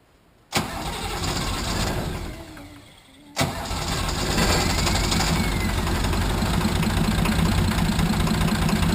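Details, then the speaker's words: Nissan 33SD turbo diesel in a 1980 International Harvester Travelall after fuel filter change: catches, sags almost to stall, refires into uneven idle as air purges; air in fuel system, may need bleed screw cracked and priming again, lift pump working. "We just got to get the air out of it. We might have to crack that bleed screw again and prime it some more."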